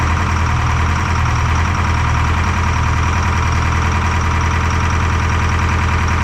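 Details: Detroit 4-53T two-stroke diesel with 9G90 injectors, run from a 5-gallon tank bypassing the solenoid and tank: loud rough clatter, uneven lopsided beat. Fuel starvation (filter half full, loose suction hose clamp); number two injector not delivering, dead cylinder.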